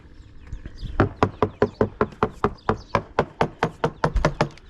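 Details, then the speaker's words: Hammer-tapping around the mast step and coach top of a free Halcyon 23 fiberglass sailboat: crisp, sharp taps about four per second, firm with no dull thud; deck core solid, slight coach-top give possibly design. "Even when I bounce on the side decks, there's no squishy feeling. It all feels very, very solid underfoot. Let's check around this mast step. So absolutely rock solid."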